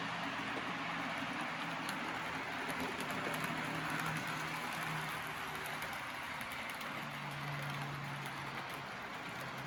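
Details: Custom Tyco Chattanooga model train tender drive, cordless motor with flywheels and Athearn gears, after tune-up for slow running; soft even whir in reverse with steady pitch, no catches or rattles: normal running.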